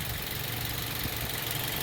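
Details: Toyota Vios idling after new spark plugs, cleaned throttle body, fresh oil, coolant and air filter: steady low hum, no stumbling or shake; all cylinders firing evenly.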